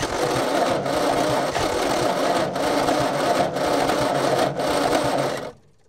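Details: Old petrol Bedford tip truck (owner guesses early 60s–mid 70s), sat 10+ years, cranking with an extra earth on the starter braid. No quicker: sluggish, uneven starter churning for about five seconds, then silence, never fires. Owner suspects a lazy, probably Lucas, starter or bad earths.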